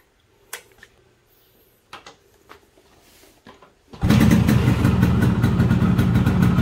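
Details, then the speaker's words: Yamaha RX King 135cc two-stroke, years on metered oil injection (Mesrania two-stroke oil), after refilling side oil: handling clicks then crisp, even idle buzz, no knocks or rattles, little smoke; normal running. "nah ini teman-teman ya suara motornya seperti ini suaranya aman ya walaupun saya sudah bertahun-tahun menggunakan oli samping meteran ya"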